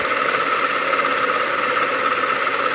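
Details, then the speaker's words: Motor generator rebuild on a 24 V supply with a speed controller, drawing 40–50 mA at about 1200–1500 rpm: a steady, even whir with no knocking, shaking or shaft wobble; the rebuilt motor runs smoothly and balanced. "the motor is definitely a lot more balanced doesn't shake at all there's no wobble in the shaft it's perfectly straight"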